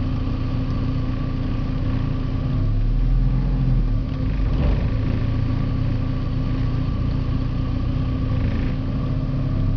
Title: Porsche 951 rough idle